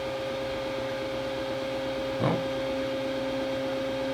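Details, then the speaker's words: Robo R1 3D printer bought trashed and being revived; an axis that had never moved before gives a steady, clean stepper hum with one even tone and a single soft bump as it moves very slowly and smoothly, with no skipping or grinding. "moving very slowly but very smoothly [Music] that's the first time i've seen that axis move ever"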